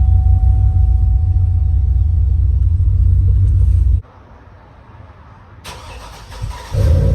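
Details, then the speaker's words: Cadillac truck that sat unused over 4 years, first start after fresh oil and filter, new coolant, old gas siphoned and replaced with new 91, new battery: deep, even engine rumble, steady, no knocks, misses or squeals; normal running. "Nice. Bam, just like that. Car turns on. Everything's running okay for right now."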